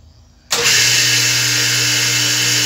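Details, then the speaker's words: Customer's single-phase motor with pulley, started in reverse via contactors (16 A at 220 V, 32 A at 110 V): abrupt start into steady hum under loud constant high hiss and whine, bad bearing. "O motor vai fazer um ruído, porque o motor, ele tá com rolamento ruim. É o motor de um cliente."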